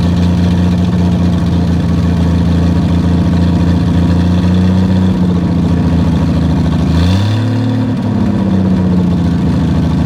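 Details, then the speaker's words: 1959 Ford Edsel V8 after sitting over a decade, started on carburetor: loud deep lumpy idle dipping briefly with raspy puffing underneath; fuel pump gone and a large exhaust leak. "fuel pump's gone opy and it has one hellacious exhaust Le like usual"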